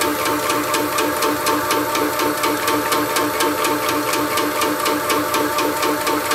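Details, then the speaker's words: Shoebox air compressor after a belt drive upgrade replacing the 2011 chain drive. Significantly quieter, an even pumping beat about two strokes a second with light clatter and no knocking or squeal: normal running. "okay so I got this belt drive upgrade just install here it's a significantly quieter I can't believe how much quieter"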